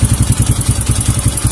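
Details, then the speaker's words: Kawasaki KLX 150 vacuum carburetor with the slide spring missing, throttle opened slightly: quick, uneven putting that wobbles and won't pick up because the slide does not lift. Refitting the spring is the fix. "Das Geräusch ist wie Breerebet. Es ist nicht stabil wie ein Scap. Es sollte sich heben. Es hebt sich nicht."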